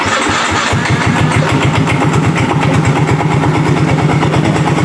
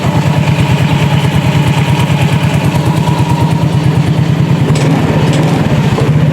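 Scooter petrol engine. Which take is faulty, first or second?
first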